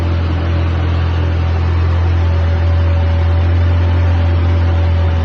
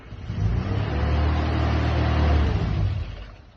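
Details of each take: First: Mini Cooper 997cc, first inspection after auction, needs a good deal of choke, aftermarket small filters fitted, started with fuel pump priming and choke: smooth deep even hum, no knocks or misses; runs sweetly. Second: 1963 Mini Cooper 997cc, cold start after fuel pump priming with a little choke, small filters fitted; engine needs a good deal of choke: low rumble swells for a couple of seconds then fades without idling; fails to catch, starts on the next try.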